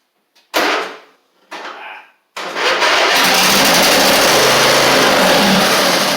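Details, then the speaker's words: Huskee Supreme 50-inch riding mower with Briggs V-twin: two short cranking bursts then a long harsh crank, no catch; solenoid heard but no fuel pumping past the fuel pump, owner suspects swollen fuel line; cranks but won't start. "try a couple more times here yeah I don't think it's pumping any gas up here I can hear the solenoid but I don't"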